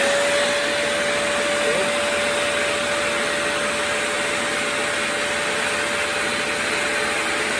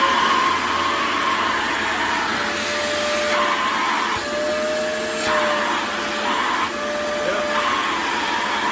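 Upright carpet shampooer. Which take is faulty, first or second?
first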